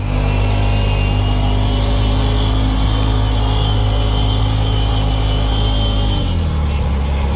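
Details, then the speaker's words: 2020 Polaris RZR Pro XP with a steady, high-pitched whine over the engine drone that drops as revs fall. The belt has been changed and the clutches cleaned with no change; gear lash in the transmission is suspected. "you hear that whining noise let's hear it again really high pitch whining yeah not good that's not a good noise it sounds like gear lash to me"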